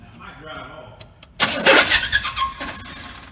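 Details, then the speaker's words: Small-block 400 truck that keeps eating starters, after shimming the starter on the left side: a harsh metallic clash and grind for about a second as the starter spins. The pinion is missing the flywheel, not engaging. "well the starter missed the whole flywheel i wonder what that means we'll have to get back under there and see"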